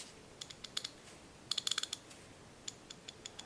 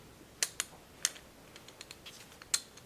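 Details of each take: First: Craftsman USA-made half-inch ratchet, previously rough and seemingly skipping, after cleaning, lubricating and reassembly: crisp, even clicks in quick bursts with no slips or gaps; pawl engages cleanly, mechanism healthy. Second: Old USA-made Craftsman half-inch ratchet, turned by hand before cleaning: sparse sharp clicks at uneven spacing instead of steady chatter, not ratcheting all the time; owner suspects old dried grease, not gear damage, later fixed by cleaning and lubricating.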